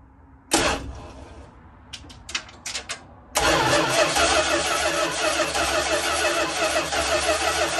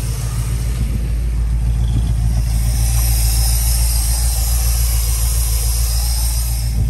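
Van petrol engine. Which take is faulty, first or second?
first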